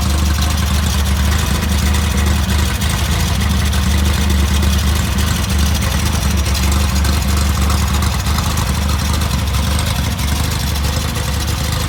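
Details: Freshly rebuilt VW Type 1 1776cc engine on its first bench start, with 90.5mm AA pistons and cylinders, an Engle 100 cam and a reconditioned 69mm crank; a starter bushing was suspected worn earlier: low, even putter at idle with light revs, no knocks; normal running.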